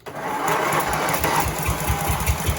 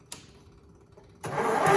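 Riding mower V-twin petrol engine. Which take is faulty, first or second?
second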